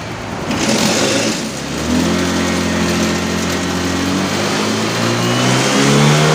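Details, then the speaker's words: Honda Vario LED scooter, warm at 75°C, idling 1300 rpm, revved on throttle: rough, faltering note around 4000 rpm during switch from mode one to two, consistent with ECU cutting fuel and causing hesitation. "di perpindahan modal satu kedua itu terasa seperti ada yang mpost Hai itu sekira d4000 RPM ya"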